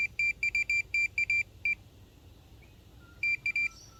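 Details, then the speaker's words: Minelab Pro-Find pinpointer passed over small metal pieces: bursts of sharp high beeps about three per second; detector responding normally. "so i have a screw here you can hear it makes a very much intermittent beeping sound it's not a constant so what is telling us is that this screw here is ferrous material"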